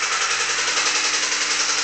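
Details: Honda D16Y8 engine running with a fast, regular deep metallic knock on every turn: rod knock from a worn rod bearing.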